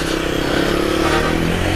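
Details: Suzuki Swift petrol engine idling with a slightly uneven, stumbling beat, jerking while driving: misfire caused by water in the spark plug wells, fixed by cleaning the plugs.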